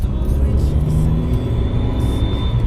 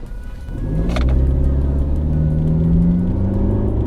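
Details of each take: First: Mercedes C250 W204 turbo after installing a Turbosmart Kompact blow-off valve and boost tap, with the charge pipe accidentally left off. It runs with a hiss and a thin rising whistle from the open pipe, and a fault code was thrown. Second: Mercedes C250 W204 turbo with a Turbosmart Kompact blow-off valve fitted and the charge pipe reconnected. Revving rises and falls cleanly with no rattles or misses, and the engine sounds healthy.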